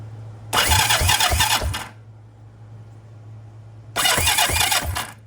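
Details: 1980 Yamaha XS400 Special that died while being ridden: two bursts of rapid starter cranking, about three turns a second, with no catch or firing. Cranks but won't start; the fuel bowl is leaking, so a fuel problem is suspected, not confirmed.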